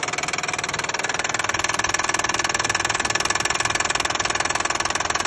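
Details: Hyundai/Kia 3.5 G6CU engine knocking at idle: sharp, even metallic knock about three per second over steady idle; internal knock whose source needs further checking.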